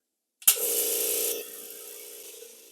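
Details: Kobalt model 3332643 air compressor after a DIY repair of its stripped tool-side pressure regulator shaft, restarted from an empty tank: the motor kicks on with a hiss, then settles into a steady, even hum as it fills to max pressure; it is running normally.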